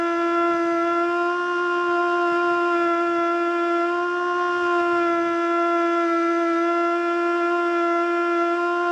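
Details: Older Federal Signal Model 2 siren (old CD box), Princeton NE, alert test: steady mid-pitched tone holds low and wavers instead of reaching full pitch; owner suspects worn brushes.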